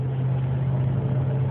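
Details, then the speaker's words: 2009 Dodge Ram 1500 driving at about 35–40 mph, also around 53, under acceleration: loud, steady low whine over road noise, stopping off throttle and after the 3rd–4th gear shift; source unidentified. "Finally quits when it shifts, but man, it does it good. You just drive it a little bit, it makes the noise real loud. And it's always that third to fourth gear."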